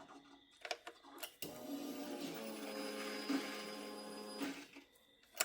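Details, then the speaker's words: Yamaha YZF R6 no-start, new fuel pump fitted: steady buzzing whirr about three seconds with slightly uneven edge as pump primes with a lot of air in the line. "Alright, let's prime it a couple times. I heard her doing a little something something in there, but she's got a lot of air. I can hear it."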